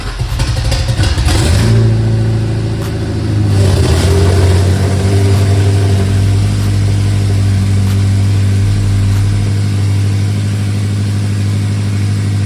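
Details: BMW E70 X5M with twin-turbo S63 V8, first start after a full engine rebuild; deep, even rumble that picks up cleanly and settles back with no knocks or ticks, healthy engine.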